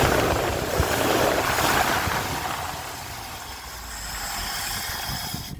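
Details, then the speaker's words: 1980 ramp truck running after roughly 25 years, fed by an added electric fuel pump because the mechanical pump was not pumping. Steady, even low idle under a hiss, with no knocking, ticking or clicking. "I mean, it sounds really good. Didn't hear like any knocking or ticking or clicking or nothing."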